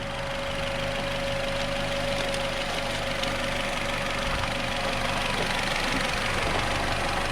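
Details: Nissan Rogue after new spark plug and ignition coil, stalling on test drive with P0300 multiple-cylinder misfire; cylinder 1 connector tested: steady idle with faint uneven pulse about three beats a second and a thin whine on top; rough, misfiring idle.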